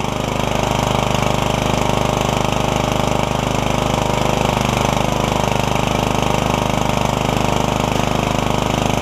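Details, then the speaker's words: MTD Yard Machines riding mower single-cylinder engine driving after transmission swap, with new air filter: steady, even drone, no knocks or surging, running smooth. "there we go nice and smooth too I like it"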